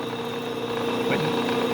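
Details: Bridgeport mill head after adjusting high-gear clutch spline play and letting the belt housing self-center: even steady hum with constant mid tone, no rattle or knocking; runs smoothly.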